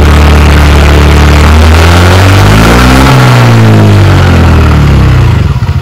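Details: TVS Ntorq BS6 scooter after a clutch-side tapping repair: a worn shaft with play, a replacement bearing seated as a temporary fix, and the clutch cover refitted. It revs up and down smoothly with no clutch-side tapping. Normal running.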